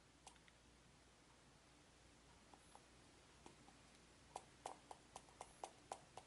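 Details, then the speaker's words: iPhone 5 shaken in a quiet room: faint uneven light ticks from something loose inside, present since day one; source uncertain, said to be camera or home button; internal rattle. "There is a rattling there, and I think they say it's a camera, they say it's the home button, but it's been there since day one."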